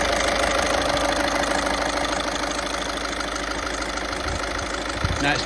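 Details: 2012 Audi A1 diesel after fuel system bleeding during service: steady, even diesel clatter at idle, no misfire, stumble or hunting; engine has picked up fuel and settles fine.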